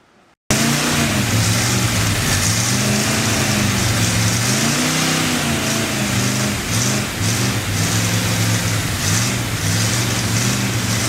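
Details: Freshly built Chevy 283 V8 first fire-up, unplugged vacuum port: engine speed rises and sags every second or two instead of holding steady; rough running from big vacuum leak, better with a hand over the carburetor.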